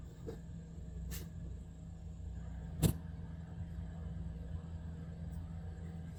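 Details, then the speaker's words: Volvo VNL D13 diesel truck with an ongoing hard-start problem (owner suspects injectors, air in the line or fuel pump): it fires promptly this time, a low, even rumble with a few faint clicks, idling normally. "well it start the engine actually start with that one one Trine so my experiment is not going to get done today"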